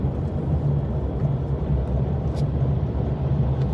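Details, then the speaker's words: Car driving on the road: steady road rumble with a continuous rough rasping scrape from under the body, something rubbing underneath, cause not yet found; scraping noise while driving. "降臨から異音が半端じゃないなんかあのこすれるような異音がしてあと車体下からもなんかこれちょっとザーって何かを擦ってるような音が"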